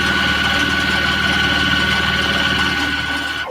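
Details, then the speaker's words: Squeaking sewing machine (GP) during fast stitching in warm conditions: steady clatter with thin high squeal throughout; dry mechanism needs oiling at its six oil holes and cleaning, a couple drops of oil expected to stop the squeak. "I don't know if you guys can hear it but it's making it squeaks down I can get rid of this week by just a little couple drops of oil but still gonna have to be clean"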